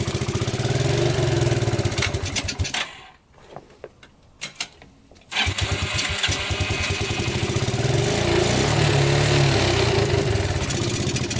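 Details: Abandoned Yamaha Breeze ATV, newly revived, cold day test drive: engine pulls up under throttle, drops nearly quiet, then picks back up smoothly; runs and drives, forward, neutral and reverse work.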